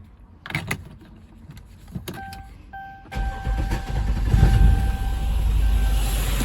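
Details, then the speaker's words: 2011 Dodge Durango 5.7 Hemi V8 cranks and catches into uneven idle with light ticking; cylinder 5 misfire from collapsed lifter and worn camshaft lobe, valve spring not moving. "Miren cómo está comido la leva. Debió ser así como esta. Miren cómo está. Por eso causa mi firing y ese tic tic ti"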